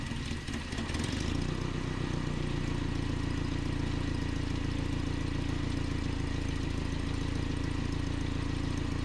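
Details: 1988 Nissan D21 truck, 2.4L Z24 engine: steady low idle with uneven, lumpy firing pulses about four a second that never settle; rough, surging idle from a vacuum line leak, before repair.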